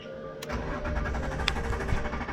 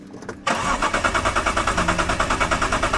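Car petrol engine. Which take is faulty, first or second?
second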